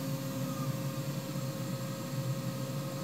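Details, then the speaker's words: New 3HP ATC spindle on a Hitachi WJ200 VFD, slowed from 12,000 rpm to very low speed. Faint steady whine with a soft regular churn, smooth and even; current looks good, spindle healthy. "it's turning she'd be able to run this thing really really slow I don't know how much torque it actually has it that speed but it is churning and the current looks good"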